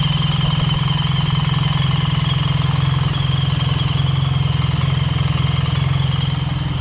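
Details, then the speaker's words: BMW R 1300 GS, right-hand side after return from dealer where cams and timing chains were inspected and valve clearances checked and corrected: steady, even low idle thrum with no rattle or metallic noise, sounding normal again. "and as you can hear now guys on the right hand side it's absolutely as sweet as a nut there's no rattling no metallic noises"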